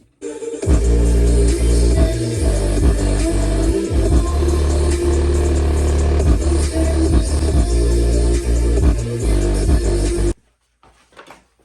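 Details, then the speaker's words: Lexus LX470 factory 8-ohm rear subwoofer, before the Skar replacement, with all sound faded to the sub: a rough, buzzy bass with a flapping rattle on each thump; the sub is badly blown, likely from a disintegrated surround. "I sent all the sound to the back, so it's just the sub playing, so you can really get a feel for just how blown this is."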